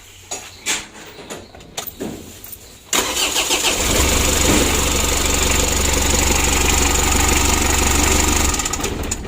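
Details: Mitsubishi L300 diesel, about 2011, after injection pump adjustment: short crank, catches within about a second, then a steady diesel clatter, fairly even but not crisp; slightly rough idle, still usable, pump overhaul advised.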